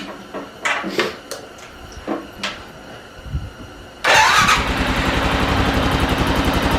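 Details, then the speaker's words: Rebuilt Arctic Cat 650 H1 ATV single after fitting a new flywheel to restore spark, carb not yet adjusted, first run: some clatter, then fires and settles into a quick, even, steady putter; healthy idle. "she runs boys she runs not only that she runs good since they're not ido we haven't done any adjustment with the carb yet"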